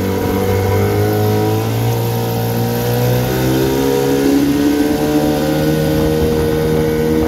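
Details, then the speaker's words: 1974 Johnson 15 hp two-stroke outboard on a pond test after new fuel line, spark plugs, gear oil, water pump impeller and carb tuning; strong, steady drone that climbs smoothly with throttle, no misses or knocks: running well. "uh seems to be doing well i'll fire it up and take it for a run around and just to show you how it's doing"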